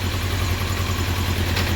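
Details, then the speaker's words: 1993 Honda CBR900RR California spec, first start in restoration, carbs not yet synced: steady rough idle with low drone and mechanical clatter that stops when clutch lever is pulled in; owner suspects clutch or unsynced carbs. "And a lot of noise now coming from the clutch. If I pull in the clutch lever, the noise goes away."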